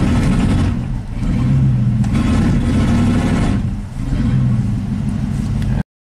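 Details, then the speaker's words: 1987 GMC 1500 plow truck V8, warm, floored in gear: pulls then sags and stumbles twice about three seconds apart; ignition misfire under load. "okay so I can get it to act up now if I'm just in gear I'm going to floor it"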